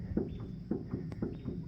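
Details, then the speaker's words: McCormick-Deering 10-20 tractor with seized, bone-dry engine: dull regular clunks about twice a second as the fan is rocked, the stuck crank shifting slightly; seized engine. "That is the sound of the crank moving."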